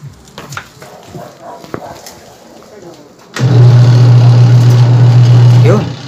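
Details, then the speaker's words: Washing machine motor that only hummed and would not turn: strong steady low hum as the motor starts and runs evenly for about two seconds, then winds down; motor fine, the capacitor was the fault. "umandar siya. So, hindi motor ang problema, kundi capacitor lang."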